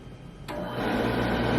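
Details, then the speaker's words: Home boiler in Alaska, thermostat TT terminals jumpered to force a call for heat: abrupt motor hum settling into a smooth steady drone as circulator pump starts before burner fires; pump running normally. "Now boiler's running. That pump just turned on, and there will be a quick delay, and then this will fire down here."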